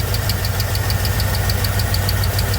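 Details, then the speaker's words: K5 V8 with Muncie 4-speed compound low, first test fire and warm-up: light sharp slaps about six or seven times a second over steady idle; belt whipping, doesn't look straight to owner. "Everything looks like it's still on there, but it's hard to tell from here. I do hear it whipping a little bit."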